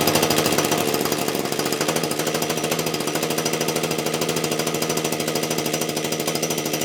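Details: Titan hedge trimmer two-stroke, warmed up after its snapped handle was glued back on: fast, even buzz with steady firing pulses, holding speed smoothly; runs normally, though idle (tick over) speed seemed a bit low.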